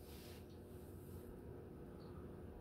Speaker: i'm calling it bedroom quiet i don't hear it i'll give it i barely hear it it's not too bad